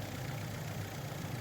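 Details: 2010 FAW V2 petrol engine idling after spark plug change for misfire codes P0300, P0302, P0304: steady, even low hum, no skipping; misfire cured, though weak piston rings are suspected.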